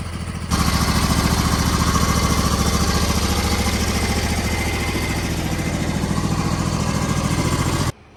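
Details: MTD Gold garden tractor with 54-inch deck, 26 hp Briggs & Stratton V-twin, about 447 hours, after the electrical fault was fixed. An even, steady beat holds constant speed with no misses, knocks or hunting. Normal, healthy running.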